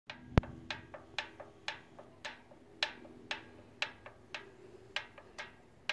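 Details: 2006 Kawasaki Vulcan Nomad 1600: sharp irregular ticks about twice a second over a faint low hum; bevel gear suspected as source, not confirmed.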